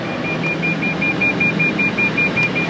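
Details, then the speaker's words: 2010 Prius, 21,000 miles, ABS light on, possibly after an ABS module replacement: high, short dash beeps about four a second without pause over a quiet cabin; warning chime that won't switch off, cause not confirmed. "of that noise I can't get it to turn off I can't figure out his Dash controls"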